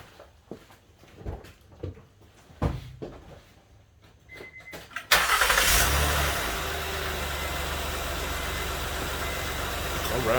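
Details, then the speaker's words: 2009-15 Honda Pilot EX-L 3.5L just after spark plug replacement tune-up: clicks, quick crank, catches and settles into smooth even idle with no misfire or knock; engine sounds good. "sounds good got some new fresh plugs in there almost an hour in but you see takes a little bit of a process so engine sounds good"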